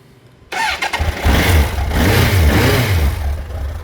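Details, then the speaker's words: 1987 Suzuki GSXR1100J, about 32,427 km, freshly serviced, ultrasonically cleaned carbs, new plugs, cold start: quick crank and catch, lumpy but steady four-cylinder idle, slightly fluffy when cold, light blips; runs fine. "Bit of a cold engine, so a little bit fluffy."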